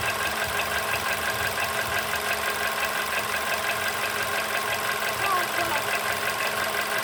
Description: Стук в двигателе поло седан. Что стучит?